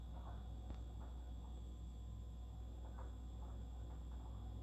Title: Fridge weird noise